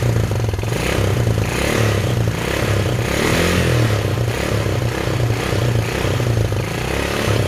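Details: Chinese 110cc quad (ATV) with a messy wiring harness, first start after carb cleaner was sprayed into the air filter: the small single-cylinder engine idles steadily with an even beat and no knocks or misses; the quad runs normally.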